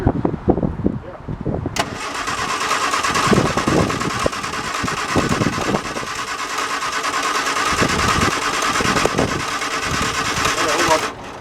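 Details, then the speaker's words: 1973 MG Midget off the road for over 21 years, with SU carburetors cleaned and primed, cranked for the first time in 20-plus years. The starter spins steadily for about nine seconds with no firing pulse; no spark is seen, so the points are to be cleaned. "All right, shut the ignition off. I don't see sparks, so we're going to take this apart and clean the points."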